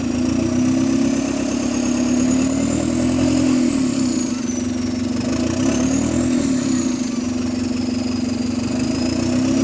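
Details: GAL SE152 bus revved in neutral: loud raspy drone rising and falling, much louder than normal; suspected exhaust leak, possibly dented exhaust pipe, unconfirmed.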